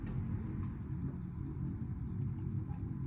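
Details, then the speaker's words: Gas burner just after main flame lit beside pilot; flame then goes out because thermocouple not yet warm enough to keep gas flowing, described as completely normal; soft steady roar, no sputtering; normal burner operation. "and it's going to go out so that's completely normal good thing to show you actually I'm just leaving it alone I haven't touched anything"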